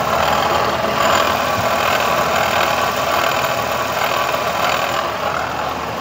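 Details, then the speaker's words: Renault Kwid Climber at idle before water pump replacement, noisy while driving and vibrating: a rough, gritty growl with a faint uneven flutter over the engine; worn water pump. "असे फिरत राहावे मित्रांनो ह्या व्हायब्रेशन आणि नॉईज वरून आपल्याला समजलच असेल की काहीतरी इशू आहे आणि असच मला वाटलं कारण गाडी चालवताना आवाज भरपूर येत होता"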